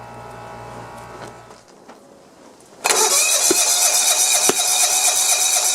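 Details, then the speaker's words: John Deere 170 with Kawasaki FC420V, after head gasket replacement, valve check and good flywheel key: cranks into harsh run with sharp pops about every second back through carb, flame visible; valves suspected. Backfire through carburetor. "i guess i'm gonna have to look at the valves again yeah it's backfiring out of the carburetor"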